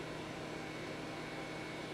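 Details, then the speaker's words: RZ55 SCSI hard disk on a PDP-11/73 after automatic setup: quiet, even hum with a faint steady low whine and no knocking or scraping; the drive has spun up, is running normally and is detected. "it's spinning I can hear it worrying click oh look at that rz55 how about that"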